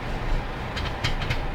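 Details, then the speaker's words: Car moving off and braking: sharp irregular knocks over road rumble from the front wheel area, very loud on pulling away; wheel tightened and lift inspection found nothing obvious. "начинаем двигаться тормозами такой дергаем ее и там что то очень сильно стучит вот при троганье тоже вот она не знаю слышно вам или нет но стучит очень сильно"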